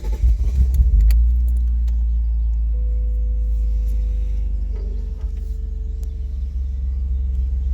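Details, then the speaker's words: 1997 BMW Z3 2.8L M52B28 single-VANOS, OBD1, restarted hot near full operating temperature after a short trip: cranks, catches roughly and stumbles into uneven idle, almost misfiring; starts fine cold; fixed by replacing the crankshaft position sensor. "As you saw, it was basically struggling, almost misfiring. Then if I let it cool down, it worked perfectly again. Well, the solution, it was the crankshaft sensor."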